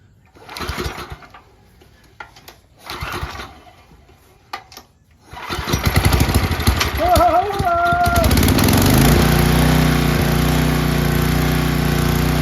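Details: 10 HP Tecumseh engine on a 5250-watt generator, after carburettor replacement, started on choke: several pull-cord tugs, then it catches, surges briefly and settles into a smooth, even run; running healthy.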